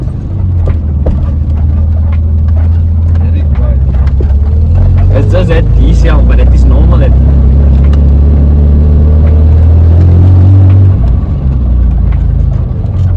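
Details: BMW E28 idling after an oil change and valve adjustment that fixed tappet noise: steady, deep, even idle with no top-end tapping, faint puff from a blowing exhaust; valves sound properly set.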